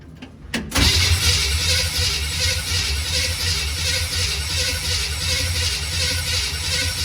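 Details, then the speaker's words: 1951 GMC COE first start attempt after sitting, fuel reaching the engine: starter churns steadily for several seconds but never fires; no spark found, distributor suspected. "Okay, I'm not sure if we have any spark or not. Check that real quick. Give me 1 second, guys. Okay, I checked for spark. We have no spark."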